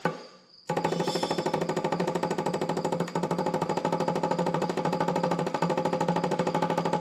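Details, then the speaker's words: 1975 Chevrolet C20 Scottsdale pickup, sat nine years: small electric clickety-clack pump on a 12 V battery, plumbed in line with the tank, ticks fast and evenly but barely picks up fuel; these pumps push, not pull. "sound like she's uh picking up much these pumps they're they're meant to push not pull"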